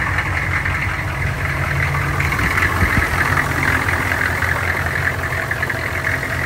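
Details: 1984 GMC Suburban 6.5 Detroit diesel cold start after glow plugs warmed about 10 seconds; even diesel clatter at steady idle, smooth rhythm without stumbles or misses; healthy cold idle.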